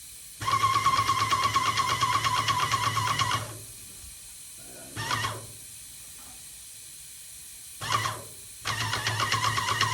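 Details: Yokiji 120 paint sprayer after repair: a sharp, steady hiss in long and short bursts over an even pump buzz, clean on each trigger pull. The sprayer is working properly.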